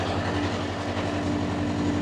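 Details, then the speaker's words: Even, steady diesel drone with a constant hum, no knocks, misses or surging, from a two-compartment trailer reefer, rear box C2 at 15 and front C1 at 6 degrees, switching continuous/start-stop modes; normal running. "Có tiếng ồn. Bạn thấy đấy, chúng tôi luôn ngủ với tiếng ồn này . Nhưng thôi, chúng ta đã quen với tiếng ồn rồi, bạn đã quen với nó rồi,"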